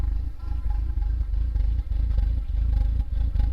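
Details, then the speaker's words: Audi idling after new wheels: deep uneven rumble pulsing irregularly under steady drone, rough idle, no check engine light; cause unknown. "it sounds like it's like a low rumble, like it's idling weird."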